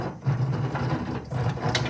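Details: 2011 Chevrolet Suburban, over 200,000 miles, removed wheel bearing spun by hand: gritty, uneven rumble with scratchy clicks; worn bearing that looks like it got hot, caused vibration when stopping and turning; replaced.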